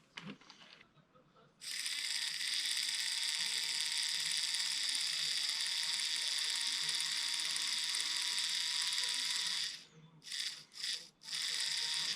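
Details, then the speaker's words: Tyco Power Torque motor in a Midnight Special locomotive on test after gluing: small motor whirs at a steady high pitch with a light click three to four times a second, traced to a cracked gear. "it's working but I'm hearing a clicking noise let me see what's up with that that okay the clicking noise must be coming from this gear"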